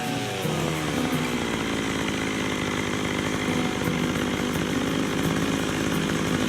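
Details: McCulloch 610 chainsaw, after carburetor cleaning, at full throttle with the high-speed screw set slightly rich of the lean sputter point: a steady high buzz with no sputter or surging; the high-speed mixture sounds properly set.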